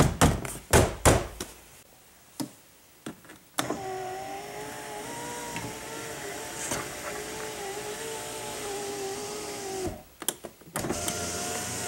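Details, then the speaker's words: 2005 Chrysler Town & Country Touring 3.8L, driver's front window after replacing the regulator and motor: the glass runs up in one smooth, steady electric hum with no grinding or clicking. "seems to work"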